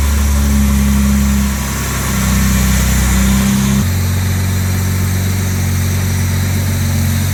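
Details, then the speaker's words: Original 1962 Jaguar E-Type 3.8 straight-six, freshly built engine with new stainless exhaust, after oil priming: smooth, even idle settling slightly lower, no misfire or tapping; healthy. "got the idle nice and smooth [Music] uh all right i'm really happy with the running condition of that engine really impressive build by the engine builder and it runs super smooth down the low rpm"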